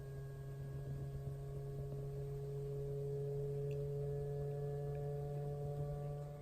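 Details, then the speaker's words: 2015 Jeep Cherokee fitted with the older Auxbeam LED headlight bulb, with the car off and the lights on. A faint, steady low hum of constant pitch comes from the bulb's small cooling fan running normally. The newer A2 bulb has no fan. "You'll actually hear the fan when the car's off and the lights are still on. You'll hear that fan running and don't have to worry about that anymore."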